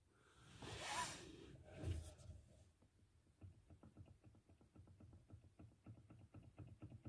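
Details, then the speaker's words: Steering rack knocking, worse over bumps: after rustling, quick light uneven clicks and knocks; cause was not the rack but an untightened mounting bolt; tightening it stopped the knock. "что-то застучало рулевая рейка прям на кочках стучит сильнее жду сама рейк но стучит не рейка просто не затянуть болт вот этот на не затянут"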